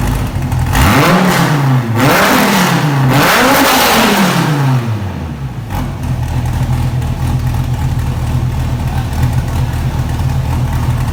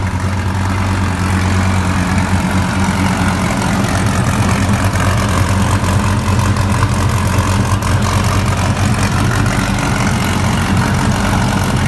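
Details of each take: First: Wrecked 2014 Dodge Viper TA started after collision, on a swapped-in battery, in neutral; several sharp revs then a steady, deep, very loud idle with clean firing on an open exhaust, running normally. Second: 2014 Dodge Viper TA V10, first start after a track collision and a battery swap. A loud, lumpy idle with sharp irregular puffs comes through the rumble: an exhaust leak from a cracked pipe.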